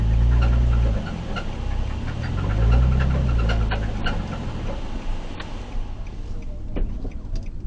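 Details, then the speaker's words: Nissan 350Z at 215,000 miles: deep, heavy, irregular knocking over a rough low rumble. The engine is dead. The owner suspects a thrown rod or valve damage; it is being replaced with a used 100,000-mile engine. "really sure what happened to it but it sounds like uh i threw a rod or pick up the valve or something to sound like a bunch of cement"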